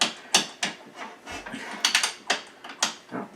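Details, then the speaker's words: 2010 Yamaha YZ450 kick starter swinging past where it should catch, catching only intermittently; scattered ratchety clicks without a firm catch. Mechanic suspects the mechanism is full of dirt; kick starter ratchet slipping. "there too oh you can hear it hear that it's going past where it should be going it should there but it oh caught there I think it's just full of crap"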